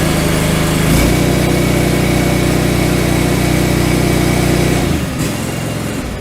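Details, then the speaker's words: John Deere 445 mower twin, 1068 hours, just started after replacing both ignition coils with OEM coils: strong, even idle with a steady rapid firing pulse and no misses, apparently running on both cylinders. "sounding pretty strong i believe we're on both but let's just do our troubleshoot test"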